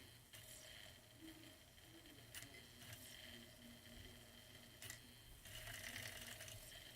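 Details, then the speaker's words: Sega Saturn drive, stated as model one or two, with the door switch clipped and a music CD in. The laser was adjusted once and played it once. Now quiet irregular ticking and brief whirs as it hunts as if jammed. A failing laser was confirmed; a new laser fixed it. "see it kind of seems like it's jammed almost so it does this"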